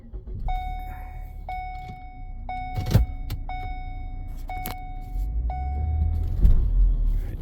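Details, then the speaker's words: 2014 Ford Escape 1.6 EcoBoost, 108,000 miles, restarted after the transmission would not select reverse: engine idling with a sharp chime about once a second; something is mechanically broken inside and a replacement transmission is needed. "oh yeah oh jeez there's something mechanically broken in the transmission so all right that's done for so this is going to need a transmission"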